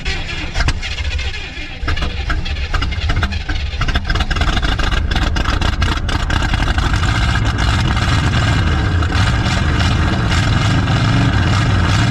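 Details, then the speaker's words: 1970 Chevy C30 farm truck with a V8, thought to be a 350 small block, parked about 38 years, first start on a new battery: a rough catch settles into a steady, deep idle with no knocks, smoking heavily. "freak that's awesome holy crap and it sounds good too you see that that sounds good dude"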